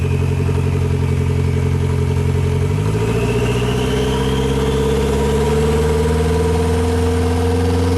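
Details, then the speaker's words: A Nissan GA16 revs up from idle with the clutch pushed in, and a dull knock comes in as revs climb, around 3,000 rpm; the owner suspects a bottom-end knock. "I'm pretty certain that is a knock coming from bottom enemy"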